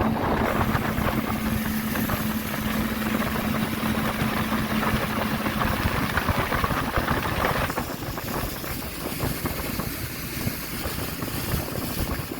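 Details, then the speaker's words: Boat outboard, first lake test after sitting about 3 years: motor runs at a steady, somewhat rough idle with water and wind noise around it; afloat and running fine at this point. "Well, ladies and gentlemen, let's say she floats and she's running. I call this a success so far."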